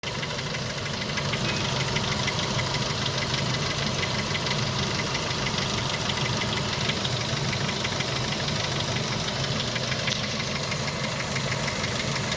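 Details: Hot Renault F4R engine at warm idle with a steady, fairly fast ticking knock of about three per second over the running noise; the cause is unclear.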